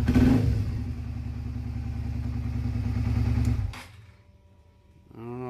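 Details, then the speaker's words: V-twin cruiser motorcycle after a spark plug change: lumpy, uneven, stumbling low thumping, then it dies. It is misfiring on one cylinder because one spark plug wire was left unplugged. "that that doesn't sound like normal hmm what am I missing what am I missing"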